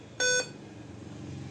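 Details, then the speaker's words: Dell 5000 series laptop at power-on: a single short, high POST beep. The suspected cause is its two RAM modules, most likely dirty contacts, to be cleaned and reseated. "जहां तक इसकी sound की beep sound की problem है। ये रम की वजह से के चांसेस ज्यादा है।"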